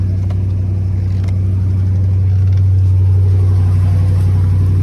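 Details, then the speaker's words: Salvage-auction car started, no check engine light. Deep, even engine note stays smooth and steady through the revs with no knocks or misses; it runs healthy and sounds decent. "Yeah, it don't seem to be running bad at all. All right, let's see what it sounds like. It sounds decent."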